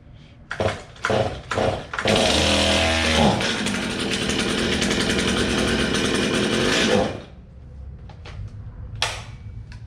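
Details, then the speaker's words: Old, low-hour Stihl chainsaw, first start. Fuel cap checked for leaks, filter not caked. A few sputtering pulls catch before it fires and runs steadily a few seconds; a hesitant start because the dry carburetor had to prime. "oh well she was a little hesitant at first from not having any fuel in it and having to get that carburetor all primed up"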